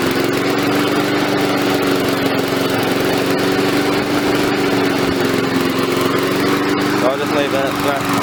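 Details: Victa two-stroke mower after repair work: constant high-pitched buzz with no surging or dropouts, running steadily and well; it is being left to run so smoke from the muffler clears.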